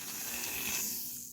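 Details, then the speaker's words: Lionel No. 60 Lionelville Trolley motor after repair (broken field wires fixed), shell off, running in reverse: soft, steady high whirr with no grinding or rattle; owner notes noisy ones are usually unoiled or missing a little ball. "it sounds really good I know i' I've heard a lot of these that sound really noisy and I think it's just people that don't know how to oil them or people that have lost a little ball that's on the t"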